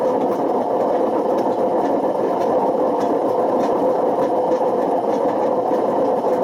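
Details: Washing machine with bad drum bearings run so long it damaged the spider and wore the motor: harsh rumbling roar as the drum spins, with a rough rhythmic grind about once a second; worn drum bearings.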